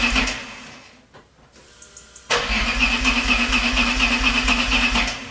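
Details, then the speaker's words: Alfa Romeo 156 GTA 3.2 V6 Busso, restarted after sitting over ten years: cranks and stumbles, drops out about a second, then settles to a steady idle; a recurring ignition fault that clears itself, cause unexplained. "denk dat niemand verrast is, maar ze gaf me opnieuw de ontstekingsstoring en het herstelde zichzelf daarna."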